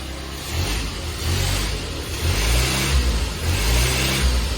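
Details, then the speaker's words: 1972 Fiat 850 Spider after a timing adjustment, with carb cleaning and an accelerator pump issue still suspected: several quick throttle blips, each rising cleanly and falling back evenly with no bogging or popping. It responds well. "That's not bad. Wow, that's really good, actually."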